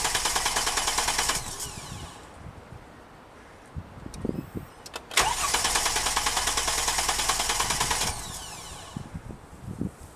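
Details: Mercedes-Benz cranking in two long steady bursts at about three pulses a second without catching: cranks but won't start; crankshaft position sensor replacement offered as the fix, cause not confirmed.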